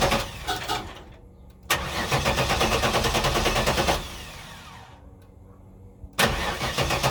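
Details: 1994 Pontiac Trans Am Formula V8 that stalled under hard acceleration, then idled low and rough; opti, coil and ignition module replaced, has spark and fuel: starter churns in steady bursts but never fires; crank no start, owner suspects low fuel pressure or fuel pump.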